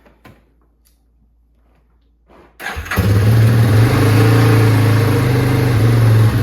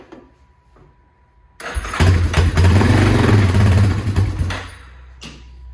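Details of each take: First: 2001 Yamaha Warrior 350 single, cold start at 8 degrees outside, after cleaning a stuck float needle ultrasonically: fires right up and settles into a steady, even low thump; idle still needs adjustment. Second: 2001 Yamaha Warrior 350 ATV, no start after sitting: single fires up on starting fluid with fuel off and choke on, runs roughly a few seconds, then dies; fuel reaches the carburetor but not the engine, stuck carburetor float needle.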